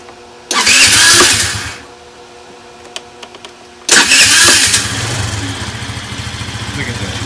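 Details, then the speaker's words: 12-year-old Chinese scooter, about 430 miles, previously no-start from weak battery, now boosted by charger at 40 amps: brief cranking, then catches first try and settles into a steady, even idle with a light putter. "Got the batteries connected. And this is the first time I'm starting it today. So watch, it's going to start right up."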